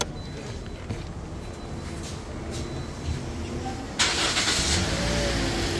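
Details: Toyota Corolla Grande 1.8 that cranked but would not start. Engine turns over, catches with a sharp rise around four seconds, then holds a steady idle; it starts normally after the tracker's intermittent cut of fuel-pump current was bypassed with direct wiring.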